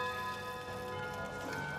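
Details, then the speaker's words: Antique mechanical clock: bell tune plays on with no pause, starting around minute 55 instead of 60; broken stop pin in the chime gear keeps the tune running nonstop. "Là ví dụ như 3 giờ đi thì 3 giờ 55 là nó đờn rồi. Chứ chưa tới 60 mà nó đờn hoài."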